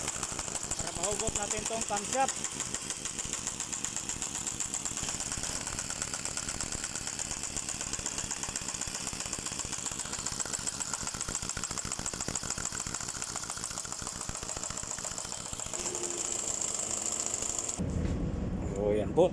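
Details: Mercedes-Benz Actros 2040 truck diesel idling with a fast, hard, regular knock hammering through its clatter; cylinder head mentioned in connection with the diesel engine knocking.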